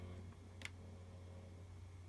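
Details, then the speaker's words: Buffalo 2TB external drive, full: steady low hum with deep buzz and a light tick, far louder than it should; vibration noise that stops when pressed down hard on top. "it's full it's a buffalo and XR drive but as you can hear this specific one very very very noisy"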